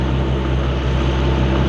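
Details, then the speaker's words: Nissan RB25DET Neo after replacing the squeaky stock alternator with an LS1 alternator via a CWC kit, stock belt: steady, even low idle hum with no squeal, chirp or belt wobble. Normal idle. "Well, we don't have any squeaking. Looks like the belt is there. Not seeing any wobbling. There's no squeaks going on."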